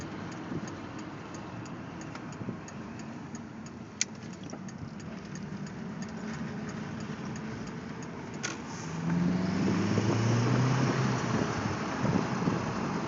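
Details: 1.8T engine at idle then revving: light regular ticking about three per second over a low idle; owner suspects an exhaust leak, unconfirmed.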